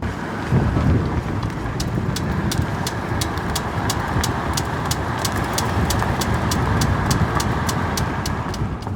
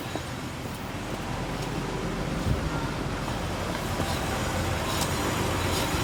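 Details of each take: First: Nissan Gloria Y32 while driving forward: a sharp click once per rear wheel revolution over road hum. It is absent when the raised wheel spins freely in neutral and absent in reverse, so it occurs only under load; owner suspects the axle. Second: Nissan Gloria Y32 on a lift, rear raised, in neutral: the rear wheel spins freely with an even whirr and light rotor hiss and no clicking. The click only appears driving forward under load, and the owner suspects the axle.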